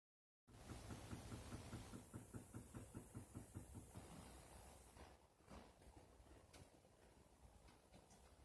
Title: Banging noise from water pipe